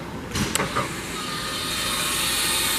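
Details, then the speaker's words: 2021 Forest River Flagstaff Super Lite 26FKBS travel trailer, power stabilizer jack extended/retracted after levelling: click, then steady, even electric motor whir with no binding or strain; normal stabilizer jack operation. "after your union is level you're going to come around and use your power stabilizing jacks simply retract or extend"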